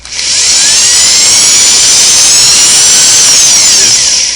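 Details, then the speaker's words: Vintage Singer sewing machine motor after replacing internal motor belt: high smooth whine spinning up to full speed and winding down with no labouring; belt tension correct. "I want to hear it smooth no stress and that I can run the motor at a high rpm that sounds good"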